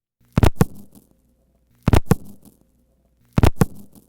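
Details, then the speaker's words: Panel telephone switch heard through tip and ring: the district sequence switch moves into position eleven with three sharp thunks, each followed by a low boom from the driven disc vibrating on its shaft against the spring nest; normal operation. "You may not be able to hear it on laptop speakers, but that's the driven disc of the sequence switch vibrating on the shaft of the switch, which in turn causes the switch to vibrate against the spring nest."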